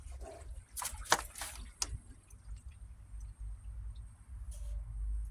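A thin, steady high-pitched screech rides over the pump's low hum and some water splashing; a noisy pump motor, cause unknown.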